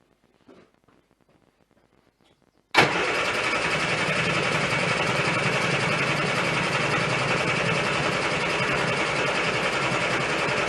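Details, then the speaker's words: 1098cc A-series engine in a Turner Ranger Mini-based tractor with an SU HS2 carb, warm day, mixture richened. Starter cranks evenly at three to four turns a second, never catches. Fuel wasn't reaching the jet from the float chamber; suspected O-ring. "So I've ended up just whipping the carb off again for a sanity check, and I found the problem. The fuel was not getting from the flow chamber into the pipe which goes up to the jet."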